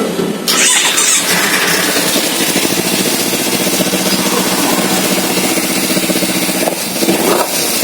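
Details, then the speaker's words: Kawasaki Z250 FI after repair of misfiring, black smoke and no idle (TPS reset to 0.8, fueling corrected): catches at once, revs cleanly and returns straight to a steady idle with no stumbling. Smoke gone; running right. "ya untuk respon mesin juga sudah bagus Langsung kembali langsem enak suara mesinnya sudah enak engak gak kayak kemarin ya karena takaran dan bakarnya sudah sesuai dari KN pun sudah gak ada"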